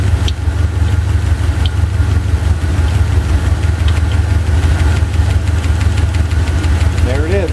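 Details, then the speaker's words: Chevy 350 V8 at idle, driver's side valve cover off during running valve lash adjustment: light, fairly regular clack about three a second from a loose rocker with too much lash; each rocker screw tightened half a turn until the clacking stops. "you loosen the uh rocker arm screw uh n until you hear a clacking sound and then you tighten it either half a turn 3/4 of a turn or a full turn till the clacking stops"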